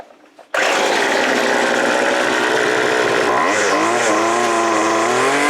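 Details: Stihl BG55 two-stroke leaf blower after cleaning its clogged muffler screen fires and holds a high buzzing run, pitch shifting as the throttle is blipped, revving freely without bogging; running normally after the fix.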